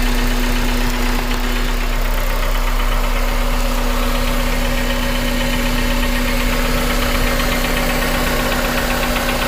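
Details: 2001 Honda Civic with swapped JDM K20A (PNA), 650cc injectors, about 7k miles since swap, idling: light knock about four per second under the injector tick, present since day one, louder in cold temps; cause unknown.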